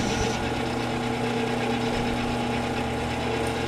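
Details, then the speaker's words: Old Lathmaster lathe making bushings, feeding about 0.030 in per pass: steady cutting noise with a faint ringing tone held through the pass; light tool chatter at that depth. "So I'm doing, and I'm just moving basically 30,000 at a time. You can hear a bit of chatter at 30,000."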